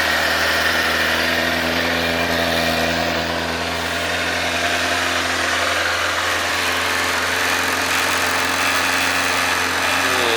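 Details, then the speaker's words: 2007 Kawasaki ZZR600 carbureted, 12,457 miles, cold start on choke at about 40°F: steady even idle with a smooth drone that creeps higher as it warms; healthy engine running fine. "You'll hear the idle picking up as it warms up. Means you gotta pull the choke down, but we're not there yet."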